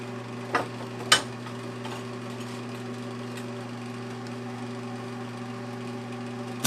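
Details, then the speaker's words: 1982 Montgomery Wards Powr Kraft 230 A stick welder (Century), repaired, cranked to maximum welding 6011 5/32 rod: steady low transformer hum under load with a few knocks, extra vibration from sitting on a metal plate; normal arc welding. "She's welding nice. She's making some vibrating sound just because she's on this metal plate here."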